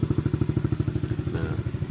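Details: Freshly rebuilt Honda Sonic (K56 engine, shared with CBR150/GTR) warming up after assembly, radiator cap left off to check circulation: steady, even low thump of small single idling, about eight beats a second, no knocks or rattles; normal idle.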